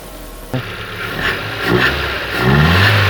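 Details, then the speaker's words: Hyundai Getz after engine rebuild: a couple of throttle blips pick up cleanly and settle to an even note, no missing beat; no longer running on two cylinders. "Let me give you a little rev. She's no longer a two-cylinder anymore."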